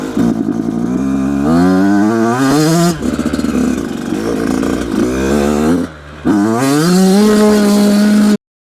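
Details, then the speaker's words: Brand-new 2026 Yamaha YZ85 two-stroke at full throttle: revs climb then break up and sputter, running super rich, fouling plugs and dripping oil from the silencer; rich bog that partly clears out. "Oh boy. You can hear that sputtering. Hear that rich bog versus lean bog."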